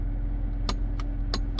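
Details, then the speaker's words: Range Rover L405 with an aftermarket shifter knob just fitted, at idle with foot on the brake: sharp, dry clicks as the selector is moved down into sport, a noise the owner says makes it sound cheap. Gear selector knob click. "Whenever you have to go down to go in sport, makes it sound cheap. So that's my only downside to that."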